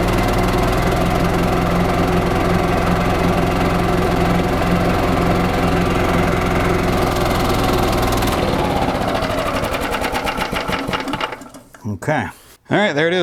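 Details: 1995 Yamaha G14 gas golf cart after starter generator repair, PCV reconnected: single-cylinder engine runs at a steady, even fast beat for several seconds, then shuts down; normal running.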